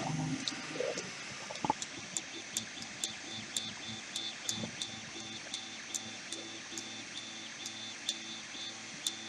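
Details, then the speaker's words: Tronxy X1 3D printer printing after the bed was re-levelled and filament feed restored: steady stepper hum with regular sharp ticks from head moves every half second or so, smooth and even; printer running normally. "Oh, it's working."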